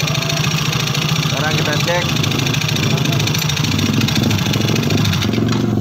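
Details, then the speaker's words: Yamaha Soul GT scooter, oil not changed for three months and nearly empty: loud, rough idle with a harsh mechanical clatter over the exhaust note; oil starvation with scored piston and cylinder. "kali ini ada pasien Yamaha Soul GT untuk belahan motornya dari suara mesin berisik guys"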